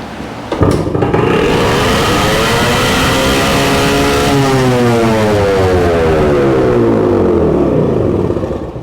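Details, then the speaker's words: 1966 Suzuki Bearcat 120cc two-stroke after new spark plug and carburetor cleaning, on auxiliary fuel tank: fires after a kick and runs high and steady, pitch drifting; throttle cable not seated fully, holding throttle open; no air leak found. "okay guys so no air leak put on an air leak but we do have our cable the throttle cable is not seated in all the way so we had it on on Turbo"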